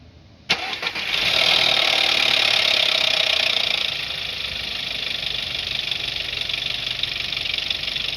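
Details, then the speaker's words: 2011 Seat Leon 1.4 TSI cold start after sitting overnight: loud metallic timing-chain chatter for about three seconds, then quieter idle as it tightens; chain tensioner found almost fully extended. "Zobaczymy jak jarmoli łańcuch rozrządu."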